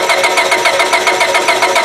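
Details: 1999 Honda Civic LX 1.6 L: starter spins engine in even whirring beats about seven a second, never fires; test light shows no spark, crank no-start fixed by replacing faulty ignition coil.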